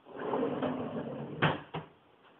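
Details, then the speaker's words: Plain kitchen drawer without the soft-close closer, shut by hand: a short slide rumble, then a sharp bang and a smaller rebound knock. It slams and bounces, noisier than the soft-close drawer. "However, if I were to shut it, it bounces and it's a lot noisier."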